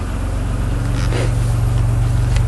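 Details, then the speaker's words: 1991 Chrysler LeBaron convertible, fuel-injected, cold start after sitting almost 7 months through a Minnesota winter, new battery seemed a little low. Low, smooth, even hum with no knocks or misses; quiet, healthy idle. "don't even know if you can hear this thing run on the camera pretty quiet runner probably let it warm up here for 15 20 minutes"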